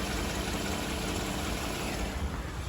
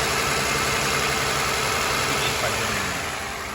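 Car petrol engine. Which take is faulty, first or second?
second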